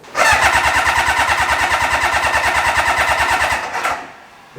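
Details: Kawasaki motorbike engine swapped into a Reliant, fuel gravity fed straight to the pump: catches at once and runs with even, quick firing for about three seconds before stopping; runs fine when gravity fed, so the pump cannot pull fuel.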